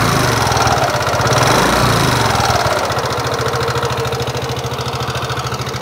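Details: Nmax (2019) scooter, engine recently repaired with piston replaced per owner. Revs drop to idle and a sharp, steady tick rides each firing beat; rough mechanical tick, cause not confirmed.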